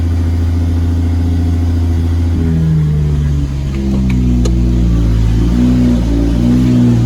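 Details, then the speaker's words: Lexus SC300 with 2JZ-GTE swap on EMU Classic ECU, not yet fully tuned, 4-inch straight-pipe exhaust: after a cold start, deep loud rumble settles to a steady, even idle with no surging or hunting. Normal cold start idle. "So, and it's got a 4-inch exhaust, straight pipe. So here's a cold start."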